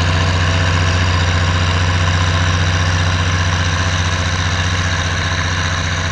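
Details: Oliver 1550 diesel tractor pulling a John Deere BW disk, running well after whatever was in the fuel system cleared out; a deep, even beat at about 150 pulses a minute, pulling steadily with no stumbles or misses. Normal running under load.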